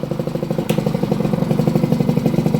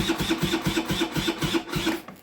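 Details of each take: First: Restored 38-year-old Honda bosozoku scooter after fitting a larger 102 jet in the carburettor, running with the choke off. Quick, even single-cylinder putter with steady firing, no misfires or rattles; healthy. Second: Restored 38-year-old Honda scooter after refitting the carburettor with a larger 102 jet: electric start cranks slowly, fading and stopping without firing, as the battery is flat; kick start does nothing either. Fuel reaches the carb, no leaks.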